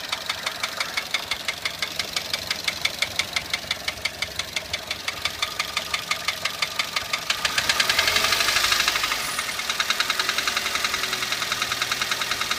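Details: Toyota 1SZ-FE Japanese contract engine, 32,000 km, began knocking 1,200 km after installation: sharp regular metallic knock about three per second at idle; bearings, valve clearances fine, no swarf in sump; piston pin seized, skirt slapping the cylinder.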